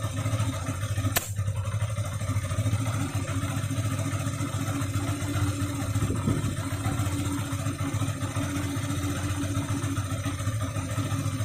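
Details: 2013 Yamaha FZ16 carburettor model, 34,000+ km, regularly serviced: uneven exhaust pops over a deep beat at steady ~2000 rpm, absent at idle and above 2k, no black smoke or carbon deposits; cause unknown.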